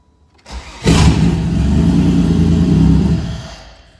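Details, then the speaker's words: GM 3800 V6 swapped into a Fiero, after harness wrap, battery install and cooling-system fill and bleed: short crank, then it catches cleanly and settles into an even, strong run before winding down; normal start and run. "it runs well"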